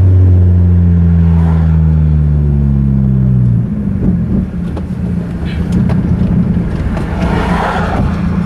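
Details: Mazda 3 on a clutch dump: strong revving engine drops off abruptly with a pop, then runs rough and uneven, sudden engine failure under load.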